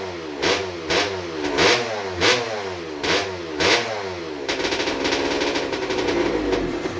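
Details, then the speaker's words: Rebuilt 1996 KX250 two-stroke with ported TM Racing 250 cylinder, rotary disc intake, Maico 490 rod and Tecate balance shaft: six sharp crisp rev blips, then a steady raspy high run; picks up cleanly, healthy. "I need to kill it the fuel hor was rubbing against the belt I need to tighten that up with some sounds good though I'm impressed I'm really impressed"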